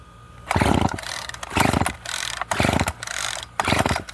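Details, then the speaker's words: Old Craftsman string trimmer left outdoors, suspected weak compression, starting fluid in carburetor, air cleaner cover missing: repeated rope pulls each give a short rough burst of firing that dies away, so ignition works but fuel is not supplied; fuel lines hard and kinked. "wow that's a good sign excellent so the ignition system works"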